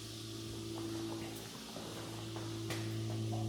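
A steady low hum with a faint higher tone holds even throughout; the water heater is firing and running normally.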